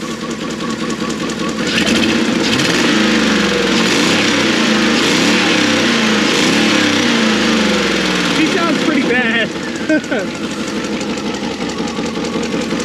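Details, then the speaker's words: Junk Dodge Durango with two cylinders disabled, being revved: engine revs and holds with a coarse, lumpy, uneven roar, then settles; heavy misfire with two cylinders disabled. "jared wants to know what happens when you do a two-cylinder delete on your vehicle"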